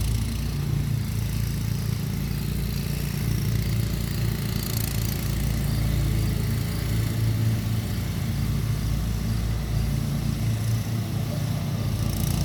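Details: Kawasaki mower engine idling after an ignition coil swap (401v coil from a John Deere walk-behind; flywheel had been smoking, magnet clearance checked), low steady even putter with no stumbles or knocks; normal idle after repair.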